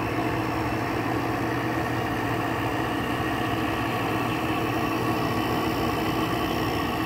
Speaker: it's not even built head pressure yet but it's still the air coming out of it still does feel pretty cold so this thing thankfully still has a full charge on it